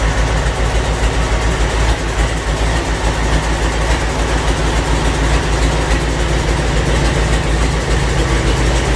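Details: Land Rover 300Tdi diesel intended for a Ferguson TE20, test-started on a 24 V starter with 12 V fuel solenoid: loud raw deep clatter with no exhaust fitted, firing evenly and running steadily; normal diesel running.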